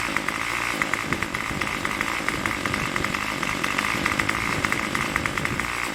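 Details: Craftsman Weedwacker trimmer 316.791191, MTD 27cc two-stroke shortblock, Zama C1U-P27 carb, after rebuild: steady fast idle buzz with even crackle, tach jumping around 2700 rpm, no misses or surging, runs clean without choke; normal idle.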